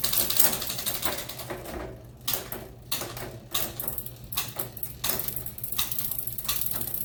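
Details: Mountain bike with SRAM GX Eagle 50t drivetrain running a Sunrace 51-tooth cassette, new SRAM DUB bottom bracket: light chain ticking with crisp quick clicks during gear changes, no grinding or skipping; normal shifting.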